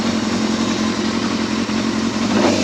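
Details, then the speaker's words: Yamaha Thundercat four-cylinder motorcycle just reassembled, running in a polytunnel with 3 litres of oil, petrol light on: busy revving that climbs cleanly with no hesitation, pops or rattles; owner calls the throttle really responsive, healthy engine. "That's really responsive, that bottle. Sounds lovely, this does."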